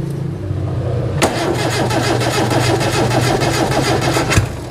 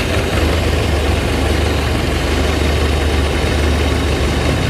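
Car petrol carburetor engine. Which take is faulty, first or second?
first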